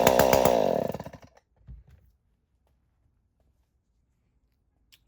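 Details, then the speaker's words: Stihl 019 top-handle chainsaw, sat in a barn for years, after carb rebuild, cleaning and choke repair, no spark arrestor: smooth, even two-stroke buzz, then clean switch-off and spin-down; running healthy. "That sounds good. Runs great. Does not have a spark arrestor, which is not good."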